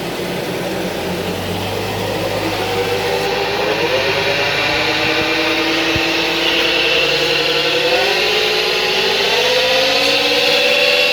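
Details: Ford Everest driving on the road: steady tonal whine rising in pitch with road speed over tyre and road noise, a howling rear differential, repaired in the shop.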